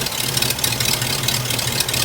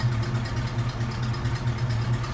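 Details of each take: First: Hearse after exhaust work and 50-mile break-in, warming up at idle: ragged, lumpy idle with uneven low throb and hissy edge; collapsed PCV valve hose sucking itself shut causing a vacuum leak, new hose needed. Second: Hearse idling after 50-mile break-in oil change with fresh oil and repaired PCV hose: low, even idle hum, smooth beat, no ticks or hiss; PCV valve working, normal quiet idle.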